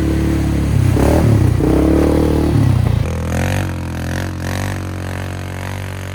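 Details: 2001 Polaris Sportsman 500 HO after flood repair, test ride: loud single-cylinder thump rising and falling with throttle, even firing, no clatter, loud aftermarket muffler; AWD and cooling fan working properly; primary clutch has delayed engagement.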